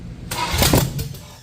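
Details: Junkyard-built 1984 Camaro SBC 350, hydraulic flat tappet mystery cam, Vortec heads, GM Performance intake, used gaskets, first fire on engine stand after fixing ignition power wiring: catches within a second, loud ragged firing settling quickly; starts normally, no leaks seen.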